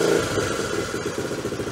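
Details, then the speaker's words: Honda Trail 90 (CT) with factory ignition coil fitted and carb tuned: revs cleanly and settles into even idle, no stuttering or misses, plenty of fuel, spark and air; healthy, road-ready. "that's how it's supposed to sound that's what it sounds like with a factory coil in it there's no stuttering no misses it's not a fuel issue got plenty of gas plenty of spark plenty of air it is ready for the road"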